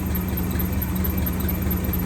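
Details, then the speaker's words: 1963 AMC 287 V8 Rambler wagon, heard through a stethoscope probe on the alternator: smooth steady hum, no grinding; water pump and power steering pump also smooth, while the squeak comes from the oil-starved left-bank rocker shaft. Normal alternator sound. "smooth on the alternator, smooth on the power steering pump."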